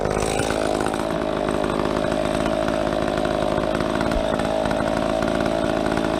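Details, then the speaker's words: Stock ProMac 10-10 chainsaw with 28-inch bar, tuned, long cut in a big fir log: steady high buzz at even pitch, no bogging or surging; normal cutting under load. "So that was stock. That's a stock saw. It's ripping, you know."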